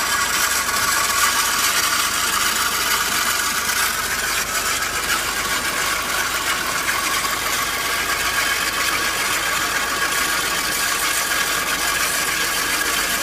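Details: Fiat 500 with a strange noise that started once the engine warmed up, warm idle: fast, uneven ratcheting clatter, a couple of clicks a second; source unclear, cause unconfirmed.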